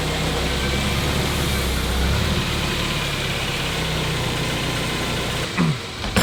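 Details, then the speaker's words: K-swapped Honda Prelude with a Skunk2 Alpha header and custom 2.5-inch exhaust, idling after completion to burp the cooling system: smooth, steady idle with an even low exhaust note and no knocks or ticks; gears are hard to select, so the clutch pedal needs adjusting. "Sounds good, doesn't it? Definitely hard to go in and out of gears, but for now we're just gonna let it idle, burp the system."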